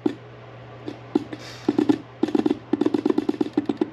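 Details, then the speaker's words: 1982 Fiat 124 Spider horn bench-tested off the car at 12.5 V from a power supply: sharp irregular clicks in quick bursts with a faint buzz and no proper horn note. The horn's internal mechanism is clicking and faulty. "here clicking on the inside and my power supply is clicking and saying it doesn't like it not quite there so it is this horn on the inside"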